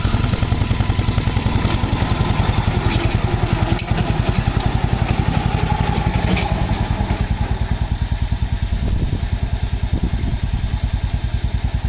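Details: 1949 Ransomes MG5 crawler tractor, newly acquired, first start and drive after the previously rebuilt magneto was corrected from 180° out of phase and fresh fuel added: low, steady, even thumping beat, no misses or knocks; old petrol engine running normally.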